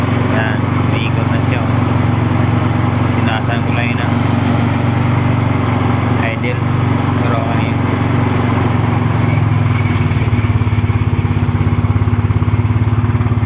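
Small single-cylinder engine pops along at a steady, even idle with no misses, settling a little smoother toward the end; running normally.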